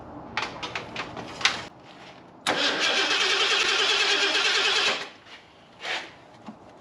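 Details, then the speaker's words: Fuel-injected Ford F250 after a new ECU was installed: even cranking about 2.5 seconds, never fires. Timing is off a lot; fuel is present but the injectors still aren't firing. Harness suspected. "Well, so we have fuel. Injectors are still not firing for some reason."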